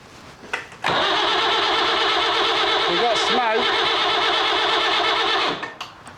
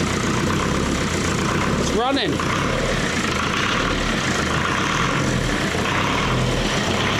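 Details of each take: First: Leyland 154 tractor diesel with new glow plugs, new starter motor and freshly bled fuel: about five seconds of steady starter whirring with no cylinder firing while air is bled from the injector lines; the diesel pump is leaking badly and the owner is unsure it is any good. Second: Leyland 154 tractor diesel, first start after restoration with glow plugs, new starter motor and pump timing set on mark: steady, even idle near 1,200 rpm with good oil pressure, no knocks or misses; diesel pump still leaking.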